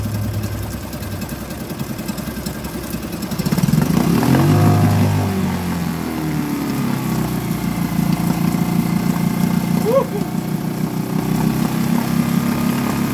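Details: Suzuki DF2.5 2.5 HP outboard in water test after no-start repair, fuel valve and tank vent open: single cylinder catches after a few seconds, settles into steady, even putter without stumbling; normal running.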